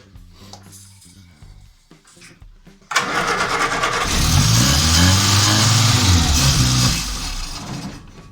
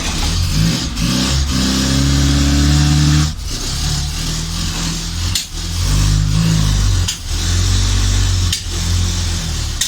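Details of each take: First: Morris Minor van, first start attempt, run on hand-poured fuel/starter spray: cranks, catches and revs unevenly a few seconds, then dies; no fuel reaching the carburettor from the float bowl, fuel starvation stall. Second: Morris Minor van starting for the first time, fed from an auxiliary fuel tank; the engine settles into a steady, low, even tick-over with no knocks or misses, though fuel is pouring out.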